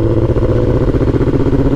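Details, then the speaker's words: 2005-2006 Suzuki GSX-R1000 engine revving rough and uneven, misfiring with no codes and not revving past 5,000 rpm; rich running from excess fuel. "so as you can see something's clearly wrong it's misfiring and it doesn't want to rev past 5,000 RPMs"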